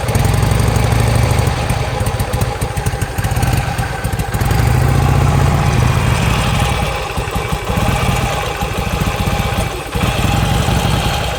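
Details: 2007 Harley-Davidson Sportster, sudden loss of about 90% power, backfires and stalls on throttle, fuel pump keeps running; new plugs and fresh gas didn't help: V-twin chuffs unevenly, sags, never builds revs, occasional pops; cause unclear.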